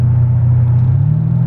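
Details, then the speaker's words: Mercedes CL500 C216 at 120 km/h and 2000 rpm: a steady, heavy low drone in the cabin, unpleasantly loud, with no knock or whine; the cause is not pinned down. "ich fahre 120 bei 2000 umdrehungen und ist schon echt gut unangenehm laut"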